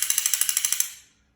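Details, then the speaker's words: Spider Pilot E-marker paintball gun after clearing a clog and fixing the trigger (customer's gun wouldn't cycle): about ten crisp, evenly spaced clicks as the trigger actuates via a magnetic plate while switching safety and modes; cycling properly. "That just actuates this trigger right here with a magnetic clutch right."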